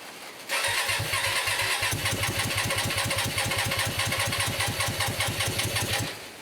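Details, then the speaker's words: Hyosung 125cc V-twin, about 7 years old, standing 2 years, first start after the carbs were cleaned, on choke: it catches with a choppy, uneven popping beat at low revs; owner thinks it is running on only one cylinder. "something's happening folks sounds like it's only on one cylinder to me"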